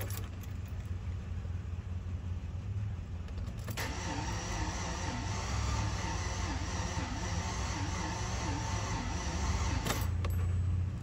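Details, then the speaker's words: 2004 Chevy Tahoe no-start: heavy, dragging crank turning slowly and unevenly without catching; owner says engine feels tight or not getting current, Passlock shows key not detected, possible aftermarket alarm. "saben que se siente como muy apretado el motor o no está agarrando corriente"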